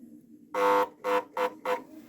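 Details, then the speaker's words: Samsung Easy 1800 W vacuum cleaner: four short buzzing hums with no spin-up, motor hums but does not turn; seized by a broken, shifted motor fan turbine. "Сегодня к нам на ремонт поступил пылесос Samsung мощностью 1800 ватт. Проблема в том, что он гудит, но не вращается."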